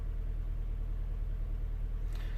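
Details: 2012 Honda Jazz 1.2 petrol, misfiring on cylinders 2 and 4 after coils and injectors were swapped, replacement ECU fitted: low, lumpy idle with uneven pulse and dropped beats.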